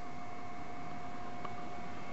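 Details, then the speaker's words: Marco/Nidek OPD Scan ophthalmic instrument after board solder repair and fan cleaning, including dust removed from the power supply fan bearings. Soft, steady hum with a faint even whine and no rattle. The cooling fan runs quiet and normal. "okay it's fired up oh listen to that nice and quiet"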